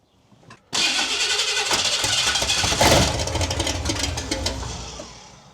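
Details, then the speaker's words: Big block pickup build first firing: catches with a loud burst, then coughs, stumbles and dies as soon as the key returns from start; owner suspects power lost off the start position; sputtering start. "something is aai not sure what it is as soon as I pull back from the uh start it kills it so the power somewhere off the start is not giving it a go oh she sounds nasty"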